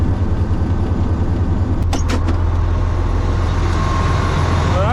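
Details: 2007 Freightliner Columbia, Detroit Series 60 diesel, idling after fuel filter replacement, following a hesitant start where owner suspected air in the fuel lines: steady, even low rumble, no misfire or stumbling; runs fine.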